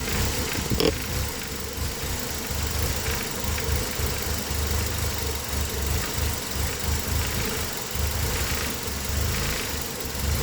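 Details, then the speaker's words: Engine with code P0400: uneven, loping idle with a lumpy low beat. Water, brake-cleaner, evap and brake-booster tests showed no change and vacuum stayed around 11. The EGR valve was found stuck open even though its lift sensor didn't report it. "Like, unless the valve itself just failed. No. It's just broke. It's definitely stuck open though."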